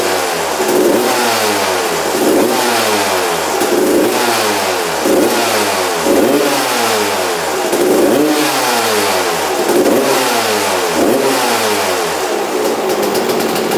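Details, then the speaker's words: 1993/94 Suzuki RM125 two-stroke dirt bike after carb returned to stock (55 pilot jet, air screw 1.5 turns out): crisp clean revving blips, no bogging or misfire, idles well; normal running. "wow w wow w yeah all right idles and everything"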